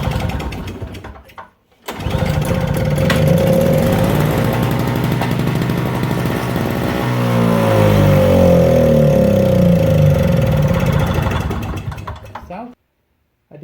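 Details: Snow blower with a new, tested-sparking plug and repaired plug boot. Gasoline poured into the carburetor makes it sputter, catch and run rough for about ten seconds, then die. The carburetor isn't feeding fuel; cause suspected, not confirmed.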